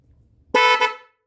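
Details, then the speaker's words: Horn on a 40-year-old Honda GL500 motorcycle being rebuilt, freshly rewired: one short honk of about half a second, a clear steady tone that cuts off cleanly; the horn works properly. "I think it will be heard if somebody pulls out in front of me"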